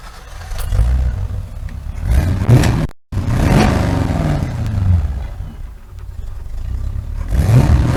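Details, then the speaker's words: Land Rover Series III with 350 small-block Chevy V8 swap, NV4500 5-speed, dual exhaust with two Flowmaster 40 mufflers: start and throttle blips, deep burbling exhaust rising and falling smoothly, no misfire or knock; healthy. "It's not, you know, not that I'm trying to, you know, show off really, but it's just when you start this thing up and you hear it, it's just pretty neat."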